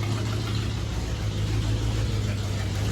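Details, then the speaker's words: Chevrolet Blazer after exhaust leak repair with RTV and idle lowered: a low steady rumble at idle, exhaust louder than expected from these mufflers but quiet at the front with no ticking or puffing; engine runs normally. "It's definitely louder than I thought it would be. But what did I expect from these mufflers?"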